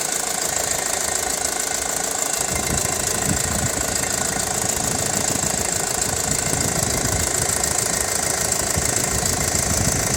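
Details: 2006 Audi A4 2.0 TFSI at warm idle after hard driving, Mobil 1 5W30 oil, about 83 dB at the ECU: loud, fast metallic rattle; timing chain rattle, quiet after changing the timing chain, belt and tensioners.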